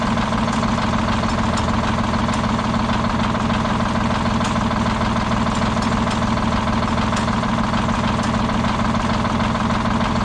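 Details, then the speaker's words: Old Detroit Diesel 6-71 two-stroke, last run before removal: steady idle with a lumpy, uneven beat and a regular skip, engine shaking; one cylinder dead, dumping raw fuel out the exhaust, seemingly worsening. "you can hear the skip in it how bad this thing shakes it's a shame but all that raw fuel getting dumped out of the exhaust from that cylinder that's not firing"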